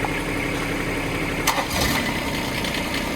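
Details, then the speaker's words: Small Bobcat micro digger diesel, battery flat likely from long storage, alternator charging, after oil pressure switch checks: steady even idle, oil light goes off, no warning buzzer; this machine is believed not to beep. "Light goes off. Pretty sure this one doesn't beep."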